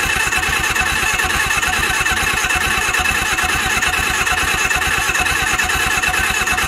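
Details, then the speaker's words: Suzuki GS750 four-cylinder motorcycle, sat since 1983 and previously seized: the starter spins it freely at about two pulses a second with no firing and almost no compression. Owner suspects stuck valves and no ignition. Crank, no start. "I got some stuck Val this thing has like no compression you guys hearing that just turn it over freely listen to this all right that's not even trying"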